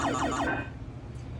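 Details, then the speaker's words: Williams Alley Cats pinball sound board in test mode after a broken-off part was replaced, restoring previously missing sounds 5 and 7; falling electronic chirps and rising-falling bursts, all test tones working. "it's sounds 5 and 7 that we're actually missing, so. But as you can hear, they're all back and working."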